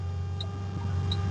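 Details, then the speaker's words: Restored BMW E30 333i (South African M30 engine) on a test drive: smooth, even low cruising hum, very clean, no knocks, rattles or squeaks. "Very, very clean. Everything is found. The stuff. No rattles, no squeaks."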